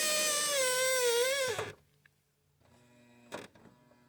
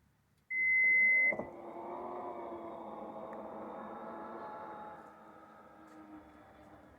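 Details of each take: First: Toyota Highlander power liftgate closing with a loud wavering high squeal, then a thud; the strut squeaks only when closing, not opening. If left unfixed it may damage the strut; the fix is silicone spray, not petroleum-based lubricant. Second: Toyota Highlander power liftgate after cleaning and silicone-spraying the joints: one warning beep, then a smooth, even motor hum closing with no squeak; squeak fixed.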